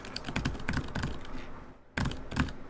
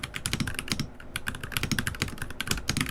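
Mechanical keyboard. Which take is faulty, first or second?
first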